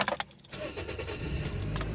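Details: 2004 Toyota Echo that shook badly on start-up with a cylinder 1 misfire code (P0301); after fitting a new ignition coil: keys jingle, a quick crank, then a steady, even idle with no shake or stumble.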